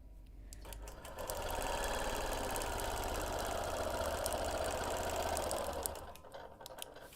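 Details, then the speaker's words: Quilting machine doing dot-to-dot ruler quilting with a ruler plate on a wholecloth baby quilt with no side clamps: the motor spins up, holds an even, quick stitching patter for about four seconds, then winds down. Normal stitching. "so here I am now quilting dot to Dot"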